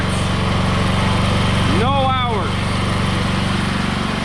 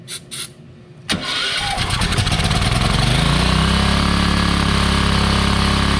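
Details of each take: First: Wen 8750/7000 W generator after fixing a connection likely missed at the factory, running with a saw on the 110 V outlet, reading 243 V 60 Hz: steady governed hum, even beat about four per second, no hunting or surging. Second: Wen 8750/7000 W pallet-auction generator bought as not running, started with starting fluid on stale gas, carburetor likely gummed: fires first pull and climbs to a hard, fast, even drone that stays high; running too fast, cause unconfirmed.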